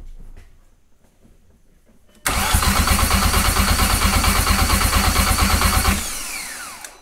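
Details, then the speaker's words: Engine on Dan's engine build cranks steadily about three turns a second for nearly four seconds without catching; fuel smell present, spark check considered, but the fuel pump was then found to have failed. "yeah there's definitely gas coming in so um we might have to check Spark"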